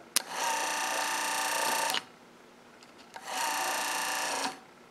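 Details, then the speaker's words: Wiper motor rebuilt and bench-tested on a power supply: after the screwdriver jumper is removed, two short bursts of steady electric whir each run about a second and a half to the park position, then cut off cleanly. The self-park switch is working. "this screwdriver, you'll hear the motor run for just a second or two until it gets to where that parking brake is, and then the motor's going to stop."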